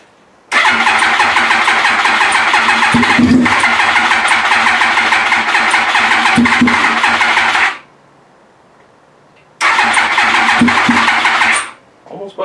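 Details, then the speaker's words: Yamaha R1 first start attempt after reassembly with fuel pump, tank, fresh fuel and wiring harness refitted: even starter churning at about two and a half beats per second in two long bursts; turns over, nearly catches, never starts. "oh oh so close"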